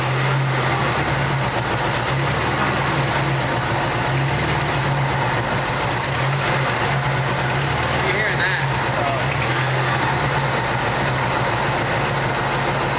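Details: 1989 Jeep Wrangler YJ 4x4, four-cylinder, manual, sat about 12–13 years under a tree, just revived; steady, smooth, slightly raised idle with low hum, no misses or knocks, running on its own fuel and injection.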